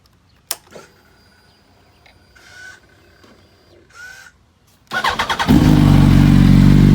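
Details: 2005 Yamaha R1, engine rebuilt a month earlier, on its third oil change with rings seated, full titanium TI Force exhaust, warm start: quiet clicks and switch noises, then it catches and settles into a strong, even idle with a steady rumble.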